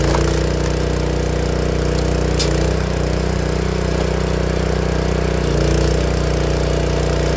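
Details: Honda GX160 log splitter engine after replacing the failing spark plug that caused popping when warm: smooth, even single-cylinder drone at steady speed with no popping, coughing or misses.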